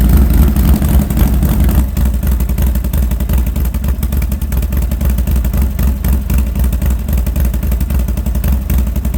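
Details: Harley Sportster first start after fitting new aftermarket exhaust: deep, loping V-twin beat with loud open exhaust bark rising and falling with throttle blips; normal idle and revving, runs evenly.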